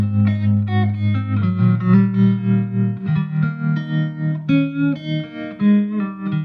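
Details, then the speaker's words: 1963 Fender Princeton Brownface 6G2 tube amp after hum repair and full restoration, played through an old 10-inch Utah speaker replacing the original Oxford: clean, full chords and single notes with no hum or buzz between phrases; normal amplifier operation. "so now it's time to listen to the fender princeton brownface model 6g2 from 1963."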